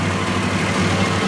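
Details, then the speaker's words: 1995 Toyota 80 Series Land Cruiser with 1FZ-FE engine after a helicoil repair and rebuild work; slightly lumpy idle, smoother than before, with a light tinny rattle from the exhaust over the low drone. Lumpiness possibly from old bad fuel. "The rattle you can hear is the exhaust, so forget that."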